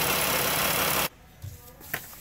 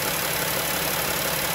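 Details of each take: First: 3.6 Pentastar V6 van before repair: starts and idles with a light, fast top-end tick from rear head (bank one); broken roller rocker arm and camshaft found, fixed by replacing camshaft. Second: 3.6 Pentastar V6 van after a broken rocker arm and the camshaft were replaced to cure a bank-one ticking: even, steady idle with smooth hiss and no tick from either bank, healthy valvetrain.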